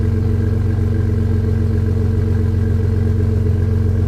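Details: Jeep with Flowmaster muffler at steady speed: deep, even exhaust drone with a regular low puffing pulse about three a second from an exhaust leak at the muffler; welding repair planned.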